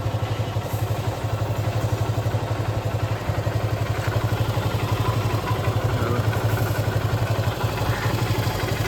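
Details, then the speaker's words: KTM Duke 250 Gen3 single-cylinder idling; owner says oil has settled so the engine sound differs: about three even thumps a second with light clatter on top; idle normal. "तुम्हाला इंजनच्या आवाजामध्ये फरक कळत असेल oil आता खाली बसलाय म्हणून असा आवाज येतोय विषय नाही"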